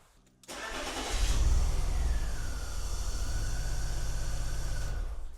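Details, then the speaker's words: BMW E46 330Ci Clubsport M54 after swapping the brand-new coil packs between cylinders 1 and 6: lumpy, stumbling idle, worse with number 1 unplugged, so likely not a coil; the spark plug was then found loose with water beneath. Engine misfire. "Misfire is definitely worse, so it's most likely not going to be the coil pack."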